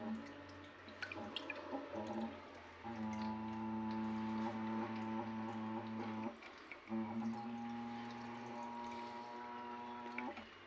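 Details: Newly installed toilet hums loudly like a steamship while the cistern refills after a flush, on both the small and large flush: a clear steady hum around 200 cycles that starts and stops with the water flow.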